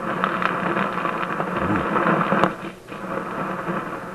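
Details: Warmed-up Simplex antique vacuum tube radio, hot chassis, during front-end and local oscillator troubleshooting: rough hiss with irregular crackles and pops, then dips quieter. Intermittent static suspected local to the 6A7 mixer tube, not confirmed.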